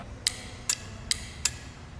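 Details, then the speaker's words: Relay being energized: five crisp clicks about every half second as the electromagnet coil pulls the contact in; healthy relay switching. "basically that clicking you here that's what that's exactly what's happening inside that relay when it's active"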